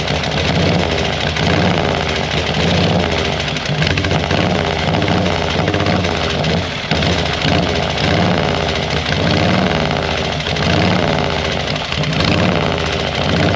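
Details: 1940 Harley-Davidson UL 74-inch flathead twin after oil feed pump rebuild and reinstall: slow, loping, uneven-firing idle holding steady with no knock or clatter; oil light still on at idle, normal idle.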